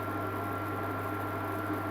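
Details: Amzchef dual induction hob after solder repair of E0 no-heat fault, heating a pan of water: steady faint high tone over an even low hum; heating normally, temperature climbing 40 to 44.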